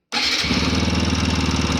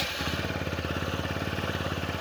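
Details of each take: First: TVS Apache RTR 160 4V at about 40,000–41,000 km, reassembled after tappet suspicion: single cylinder idles with a steady hollow metallic knock on every beat from the head area; piston slap, worn piston, engine rebuild needed. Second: TVS Apache RTR 160 4V, 41,000 km, after a head noise repair, teardown and cleaning, started on the self-starter. Quick, even single-cylinder putter at fast idle, set around 1600–1700 rpm and expected to drop as it warms, with no slap or tapping; normal idle.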